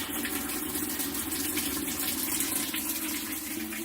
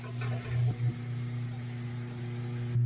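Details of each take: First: Amana top-load washer after 30-minute unplug reset and control button sequence: steady hiss of water rushing into the tub, then tapering off; normal water fill after the reset. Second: That's the sound of a motor trying to turn, but it can't turn. And in some cases, the drive belt could be gone or missing or just broke.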